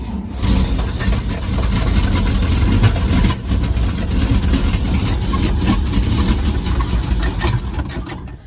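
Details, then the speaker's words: 1948 Chevrolet 3800 dual-wheel stake bed truck, long parked, start attempt with no gas supply yet: cranks, catches into rough uneven low rumble for several seconds, then dies on carburettor fuel alone. "all right success success fantastic all right see if she'll run turn the key on my pedal's right she runs for a second"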